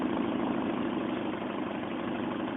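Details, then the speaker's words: Mazda 1.8 BP engine, cold start, throttle body idle air bypass screw being adjusted: idle steady but sags and stutters as if about to die; too little bypass air, so it would stall under load such as headlights, fan or AC. "see I kind of wanted to stutter and die so if you put a load on that it's going to want to die"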